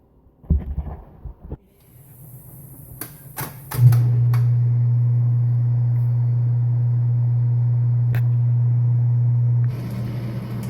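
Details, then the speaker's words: Dishwasher that was not draining, after unclogging the blocked drain hose and refitting hose and filter: a few clicks then steady low drain-pump hum about six seconds, water drains out fully; fixed. "after turning on you can hear it's draining the water so it seems to be working"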